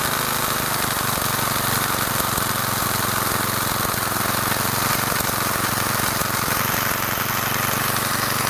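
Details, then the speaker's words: Garage-sale gas edger after carburetor cleaned and refitted, choke on: steady buzzy small-engine run, no surging or misfire; now running after fuel-air mixture screw, found fully in, was backed out about one and a half turns; still needs fine tuning. "All right, she's running. Whew. Took a little while. That fuel air mixture screw, it was just all the way in. So I backed that out."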